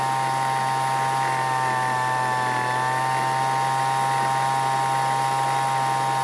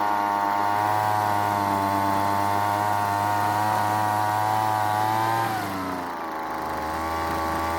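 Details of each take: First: Weed Eater leaf blower after long storage, carburetor L and H screws richened, H set just past max speed: steady high-pitched two-stroke buzz at one even speed without surging or dropping out; running cleanly. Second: Weed Eater leaf blower after long storage, L screw out half turn and H screw quarter turn: steady buzz but pitch sags instead of climbing when throttled; throttle barely responding, needs more fuel from H screw, lean high-speed mixture.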